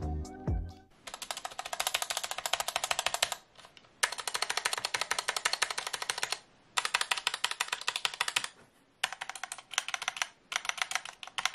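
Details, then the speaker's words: Gamakay K61 keyboard with stock Gateron Yellow switches, before upgrade: fast clattery keystrokes with loose rattle from unlubed stabilizers and switches fitted loosely in the plate. "the main problem however is the stabilizers on this keyboard which are just really bad and have a lot of rattle"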